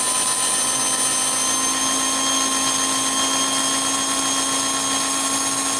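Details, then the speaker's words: Small electric motor in a race car checked the day after racing, unopened since: high steady whine with wavering pitch, slowing then perking up, sounding wonky and not as fast; uneven motor speed, cause not yet investigated. "Yeah, that slowed down a little. Wow, my car slowed down a lot. Oh, it's perking up a little bit."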